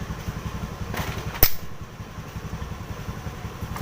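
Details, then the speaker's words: Yamaha Vega/Jupiter Z after replacing the slipping kickstarter parts with three new springs: low even chuffing as the kick lever turns the engine over, with sharp clicks; kickstart now engages normally. "oke ya dia sudah ikut muter berarti berhasil kita tinggal tutup dan kita lihat hasil akhirnya ya"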